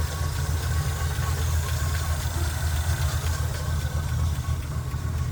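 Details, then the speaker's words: Chevy K10 pickup, 5.7L V8 small-block: light, quick ticking over a steady low idle rumble, keeping pace with engine speed; suspected camshaft or valve, possibly worn cam or noisy rocker. "le bruit que je soupçonne, car ça vient de l'arbre à cames ou de la soupape, ça peut parfois être une came usée ou un culbuteur qui fait du bruit,"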